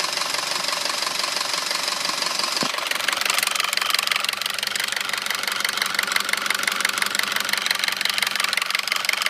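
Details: 2009 Audi A4 2.0T, 82,000 miles, idling with a steady sharp knock about three beats a second, loudest by the PCV; dealer found metal flakes around cam lobes and recommended a new engine; sluggish from standstill; recent oil change with 5W-30.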